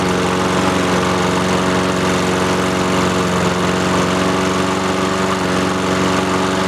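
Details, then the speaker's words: Free roadside Honda-engine walk-behind lawnmower, started after opening the fuel valve that had been off: small single-cylinder putters at a steady even beat with no misses or surging; runs cleanly. "sweet cool that's sick it works"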